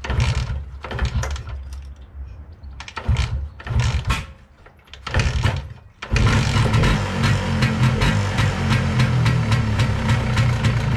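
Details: MZ 251 ETZ two-stroke motorcycle, first start after winter on last year's fuel, weak battery: after a few stuttering catches it settles into an even two-stroke buzz, about four pops a second, running cleanly; normal idle.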